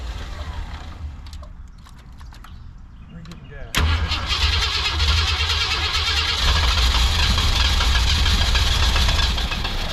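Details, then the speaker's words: 1965 Lincoln Continental after carburetor idle adjustments, coil hotwired, a bit cold-natured: it catches and settles into a steady, even idle with no misses and no more of the earlier blow-by. Normal idle. "getting she runs good she CH good I'm sure she need two CLS a little attention but I don't have any more Blow by any more weird Blow by coming out uh the idle's good"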